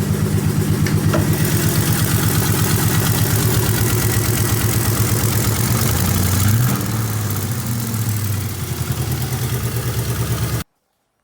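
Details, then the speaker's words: Pontiac V8 with timing chain at rough idle: steady top-end tapping about three knocks a second that seems to come from both passenger and driver sides; owner unsure, wonders if timing jumped; cause not confirmed. "so yeah it honestly sounds like it's coming from both sides which makes me more confused"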